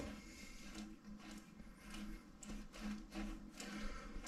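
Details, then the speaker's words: Rockrider ST530 S mountain bike rear hub after axle service, cone nut set against the bearing balls and locked with the lock nut, no play yet smooth: quiet even whirr with soft light ticking as the wheel coasts, no grinding, no more suspect noise. "Donc voilà, j'ai plus de bruit suspect, j'ai plus rien, apparemment on l'air nickel."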